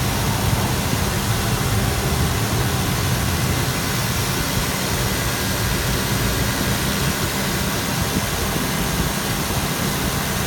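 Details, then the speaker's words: 2000 GMC Yukon 5.7L Vortec V8 with 163,011 miles, tested; smooth, even idle with a steady low rumble, no misses, knocks or smoke; runs excellent. "163,000 miles. As you can hear, it runs excellent. Tested."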